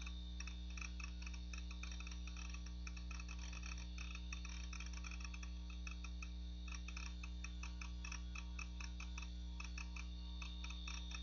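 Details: Macintosh PowerBook 520c (25 MHz 68LC040, Mac OS 7.5.5) booting from its 240 MB 2.5" SCSI hard drive, possibly IBM: faint, irregular ticking about three per second over a low hum. The aging drive is showing signs of failing soon.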